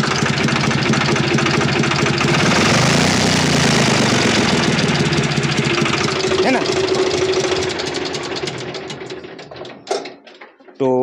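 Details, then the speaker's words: Swaraj FE tractor diesel at idle: a loud, regular clatter at about two per second until shutdown; the tappets are too loose, causing power loss under load and high diesel consumption, and the fix is tappet setting. "Tractor में यही fault है diesel ज्यादा खाता है tractor दब जाता है जुटा में तो यह आवाज़ किस चीज की है दोस्तों इसके अंदर में जरूरत से ज्यादा लूज है और इसी के चलते यह ट्रैक्टर लोड में दब जाता है और डीजल की खबर भी ज्यादा करता है"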